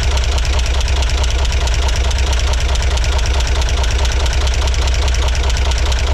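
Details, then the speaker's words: 1963 Corvair engine after resyncing the carburetors: a regular, fast knock over the idle keeps time with engine rotation; loosening and retightening the valve adjustment made no difference, so it may not be valves; rotational knock. "it sounds like it may not be coming from the valves after all"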